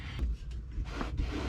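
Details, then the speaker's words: Truck rocked by hand: soft rubbery squishing and rubbing from the air suspension bags, normal and not heard inside; squeak traced to a slightly loose upper shock mount, just tightened. "Now you can hear the airbags kind of squishing around and stuff, but you don't hear that inside the truck."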